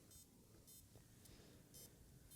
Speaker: To me, that sounds like a bad power supply.